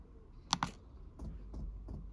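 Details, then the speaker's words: Chinese diesel heater put into priming mode by pressing controller buttons: two button clicks, then soft, even ticks about three a second from the fuel pump priming normally. "and that started if you can see the pump symbol at the bottom there and you can hear the pump ticking"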